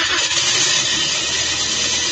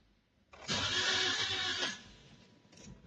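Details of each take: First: 2023 Toyota Vios/Avanza 1NR engine that wouldn't keep running, now started after the spark plugs were refitted. It runs with a steady, busy, hissy note and smokes from oil in the cylinders, smoke expected to clear when warm. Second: Toyota Vios/Avanza 1NR engine, 2023 model, suddenly won't start, battery fine: brief fast even starter whir with no firing; low compression, a common issue with this engine; oil into spark plug holes planned.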